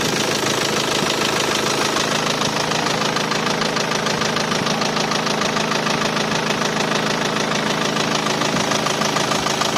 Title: Nissan NP200 1.5dci K9K engine knocking sound ... please help